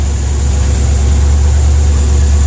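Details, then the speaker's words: 1992/93 Ford F150 V8 running terribly, no mufflers: deep heavy idle with uneven lumpy beat; replacement distributor was fitted with plug wires crossed to the wrong cylinders. "all right y'all so i did find out why this uh this truck was running so horrible um this distributor right here was replaced"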